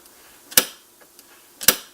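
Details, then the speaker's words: 1939 NuTone Model B two-note door chime after servicing: two sharp metallic clacks as the plunger hits a bare metal stop, likely missing its felt washer; adding one is suggested. "you can hear it make a banging sound as it hits the metal stop, and that's probably not desirable."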